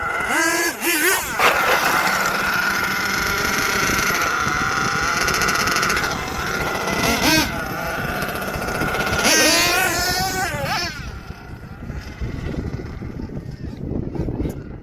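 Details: HPI Savage XL twin nitro truck with Twinzilla kit: two small engines screaming unevenly, one revving high while the other lags and catches up; motor 2 out of sync, unmatched RPMs, before linkage setting and tuning.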